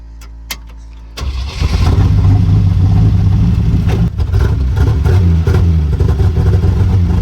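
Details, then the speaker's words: 1973 Jeep J2000 with old spark plugs and wires catches after a few cranks and settles into an uneven, lumpy idle with dips and surges; running rough and very rich, dripping some fuel, cause not confirmed. "I don't know it's still running like trash it's real Rich real real Rich"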